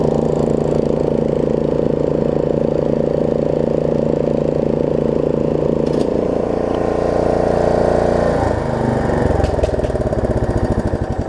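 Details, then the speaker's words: Snapper rear-engine rider, single-cylinder, test ride after a new deck belt and throttle cable repair, before the carb cleaning: putter wavers and shifts instead of holding even, typical of a dirty carburetor. "um and what else throttle'"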